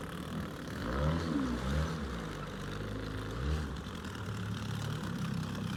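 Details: Outboard on an abandoned jon boat, sat over winter and unknown if it ran, first start attempt in water: low buzzy two-stroke drone holding even with gentle swells in speed; runs clean and steady, better than expected.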